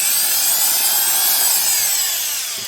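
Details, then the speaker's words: Milwaukee Magnum Hole Shooter drill (#0300): high, steady whine from the gearbox as it runs and winds down, no grinding; gearbox screws had come loose and alignment pins broke, misaligning the gears, which are worn. "it sounds like it's pretty worn i noticed that there's phillips head screws when they should be torqued so obviously like those screws got loose it may have been used with the gearbox being loose and that will destroy gears in no time"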